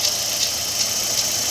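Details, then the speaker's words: Fiat Fire engine with no air conditioning, at idle before repair: a light hissy chirp pulsing about every 0.4 seconds from a dry timing belt tensioner bearing; the alternator and power steering belt are to be removed to confirm. "queno barulho aqui de rolamento vocês no vídeo vai sair a rumorosidade vinho rack rack rack Zinho"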